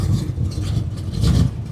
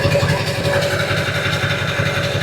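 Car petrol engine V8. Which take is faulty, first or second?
first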